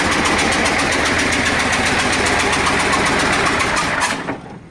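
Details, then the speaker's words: KAMAZ diesel truck knocking and expelling coolant: heavy idle with regular knock about three to four beats a second until shutdown; suspected cracked cylinder head with dropped valve seat letting gases into coolant, not confirmed. "может головка лопнула точнее лопнула головка отвалилось седло и вот и стук и газы"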